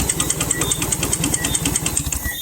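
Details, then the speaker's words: Turbo 1NZ-FE after tune-up, starved of oil from a drain leak on 2-step: hard regular knock about ten a second at idle; rods #1 and #4 bent. "can hear engine is knocking. Engine is knocking. So I have to pull up the engine and hear what I go on."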